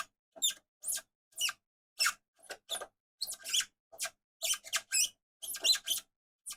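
Sharp high squeaks, about two a second, each time the mechanism is wound in a quiet room; the winding squeaks dry, cause uncertain. Cause suspected, not confirmed.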